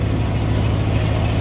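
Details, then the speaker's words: 1993 Ford Bronco just started after sitting a long time, on a hot day; a deep, even V8 rumble with a steady low beat and no misses or knocks. Normal idle. "gosh she sounds good sounds really good"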